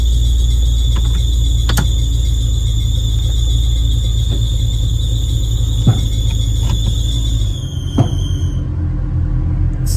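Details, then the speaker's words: Infiniti G35, before a planned idler pulley delete: a steady high-pitched squeal over a low engine rumble that holds at idle, pointing to a dry, failing idler pulley. Idler pulley squeal. "I'm doing a pulley, idler pulley delete. I have everything inside ready to go, so ooh, that sound is horrible."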